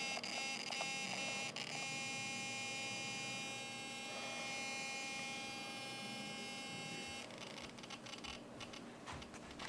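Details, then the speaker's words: Traxxas Slash 4x4 Ultimate RC truck sitting stationary and powered: thin, steady high-pitched electrical buzz with no driving sound; owner thinks it is the servo, cause not confirmed. "Hello guys, there's this weird buzzing noise. I think it's the servo."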